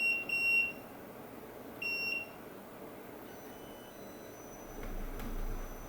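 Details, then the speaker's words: Midea U window air conditioner, 8000 BTU, on cool low eco at 108°F outdoors: control-panel beeps, then a low hum swells in as the compressor kicks on smoothly with no wattage spike; normal compressor start-up. "You can hear the compressor kick on. A great feature about this unit is there is no wattage spike when the compressor kicks on."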